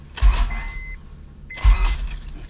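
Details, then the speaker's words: 2006 Honda Accord V6 J-series during stage 2 regrind cam install, fuel pump fuse pulled; starter bumped in short blips, two quick low whirs about 1.5 s apart, starter bump cranking. "Like I said, quick blips, just bump bump bump, and then you'll hear it spin faster, and that'll be it. You'll know it's done."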